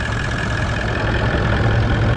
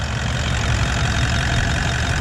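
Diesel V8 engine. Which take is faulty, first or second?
first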